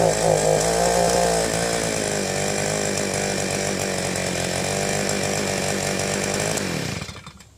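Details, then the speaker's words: Southland two-stroke post hole digger after fuel-line replacement, runs best at half choke, chokes out when primed: steady high buzz with rough note, then dies; new carburetor suspected. "Alright, I can choke the thing out when I push the primer, and it seems to want to run best about halfway choke."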